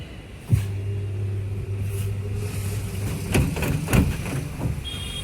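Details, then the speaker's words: IFB top-load washing machine on spin with an empty tub: low motor hum, then heavy irregular thuds as the tub swings into the cabinet once speed rises; worn suspension dampers (shockers), replaced afterward. "उसके बाद में जैसे-जैसे इसकी speed बढ़ी वैसे-वैसे इसका body में लगना start हो गया। एकदम काफी तेज जैसा कस्टमर बोल रहे थे, सेम वही कंडीशन हमें इसमें मिली।"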